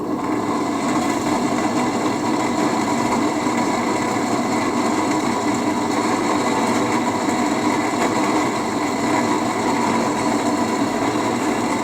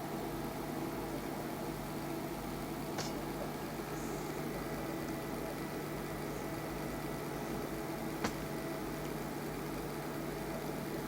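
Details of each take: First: HP 8901B modulation analyzer's original cooling fan, before replacement, measured with an RTA: loud constant whirring rush with a few steady tones and no speed change; a worn, noisy cooling fan. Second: fan is running nice and quiet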